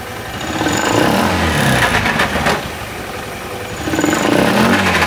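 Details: Honda Beat FI scooter with rough-sounding CVT, idling and blipped: coarse, gritty rumble from the CVT side rising with revs; mechanic suspects worn CVT pulley shaft bearing since the slider looks good.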